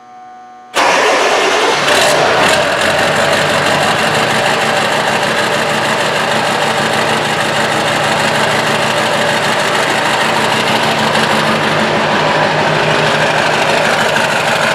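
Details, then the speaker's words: 2000 Ford F250 Powerstroke diesel with a new 4-inch exhaust and replaced glow plugs, first start. The starter catches within a second, then a loud, steady, even idle with a deep exhaust rumble: healthy. "oh that sounds good so now the got the exhaust bolted up and put where it needs to be"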